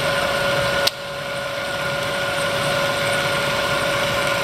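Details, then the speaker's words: Bridgeport 2 HP vertical milling machine, 9" x 48" table, variable speed head (60–4200 RPM), R8 spindle, three quill power feed rates: steady spindle whine, one sharp click as the quill feed knocks off on the downstroke; smooth, normal operation. "And as you can see again, it'll come down and knock off flawlessly. Knocks off with ease every time."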